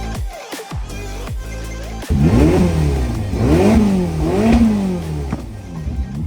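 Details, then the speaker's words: Crash-damaged Ferrari California T V8 running after two months of repairs and rewiring: crisp revs climbing and falling smoothly in repeated blips over music; runs and responds normally. "finally the car gave us some hope and finally turned on."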